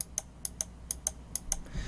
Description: The noise of the switches of the left and right click on the new Roccat EMP mouse is so loud and annoying.